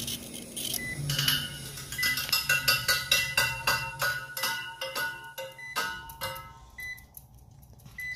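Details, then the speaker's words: Walk-in freezer evaporator in manual defrost with heaters on: uneven light ticking about four per second over faint fan hum as a fan blade strikes frost build-up; frost suspected from warm air infiltration. "like one of our fan blades is hitting a little bit of heaters are on"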